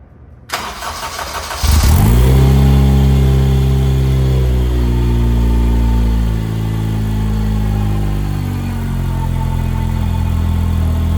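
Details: 2000 Porsche 911 Carrera 4 with Honda K24 swap, first start after exhaust, coolant, fuel and power steering work, before ECU and dyno tuning: catches first crank, flares, settles to steady deep idle, then free revs; normal start, idle and free revs.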